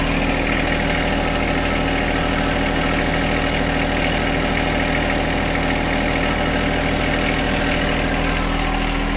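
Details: John Deere 1025R diesel tractor after replacing the main fuel filter under the floorboard, which caused its surging and stalling: steady, even idle with a smooth low thrum and no surging, hunting or misfire; running cleanly.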